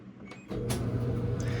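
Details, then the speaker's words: LG dryer that powered on but would not start, after thermal fuse replacement: click, then motor rises to a steady even hum without grinding or squealing; normal running. "And now we have a running LG dryer. So, pretty simple fix."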